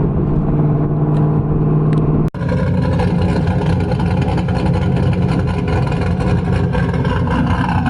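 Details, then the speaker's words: 2000 Pontiac Trans Am WS6 V8 with BTR Stage 4 cam, long-tube headers and Borla catback, after replacing E3 spark plugs: full-throttle pull with a deep exhaust roar, brief gap at the shift, clean steady pull, no misfire; noticeably more power. "all right so that poll the 10 times harder I'm a little bit surprised at how much more power mated it's noticeable"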